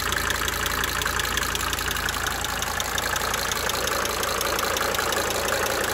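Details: 1992 Mercedes-Benz 300D 2.5 turbo diesel idling for several minutes, brief talking at start; sharp, fairly regular tick about three per second over the idle clatter, coming and going: cyclic injector ticking at idle.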